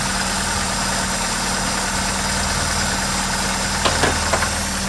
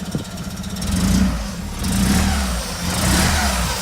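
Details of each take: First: Opel Manta under rebuild, previously lumpy-running, no coolant in, smelling rich, after adjusting the distributor timing: even, steady idle with a smooth hum and no misses; normal idle. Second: Opel Manta under rebuild, no coolant, needing a new exhaust: rough, raspy blat swelling with each rev, low chuffing following throttle from a leaking exhaust; still running lumpy, smells rich, owner suspects ignition timing.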